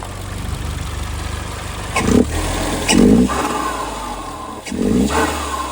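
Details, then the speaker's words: 2010 Hyundai Genesis Coupe R-Spec turbo 2.0L Theta II, new GReddy-style FV blow-off valve: three quick throttle blips, each ending in a sharp airy higher-pitched "psh" versus the old valve's "choo", with slight flutter still at low rpm; venting properly. "It's got a higher pitched blow off to it than the other one did. The other one was just like choo. This one's going psh, which I kind of like better."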